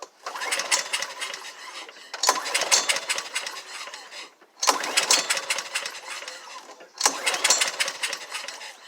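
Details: Honda HRX 217 mower with a cranking problem, owner had shut the fuel off, retried after fuel turned back on and air filter removed: four pull-starts with a rattly whir that never catch; carburetor suspected.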